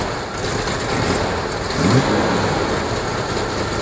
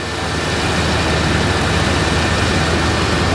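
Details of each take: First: 1986 Chevrolet K30 cab-and-chassis truck running on a makeshift fuel tank with the air cleaner refitted: catches, blips once, then settles into a steady even idle, "100 times better", though it seems to idle up slightly. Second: 1986 Chevrolet K30 cab-and-chassis truck idling high after a loose leaking hose was fixed and the air cleaner refitted; steady, even drone at a raised idle with no dips, not as high as before, cause not pinned down.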